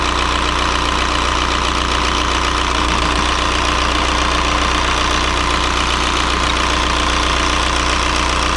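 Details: 2003 VW Jetta TDI 1.9 ALH diesel, manual, just after swapping the 10mm Bosch VE injection pump for a gunked-up 11mm pump: even diesel clatter, settled quickly into a steady idle once air apparently purged from lines, no miss; normal idle.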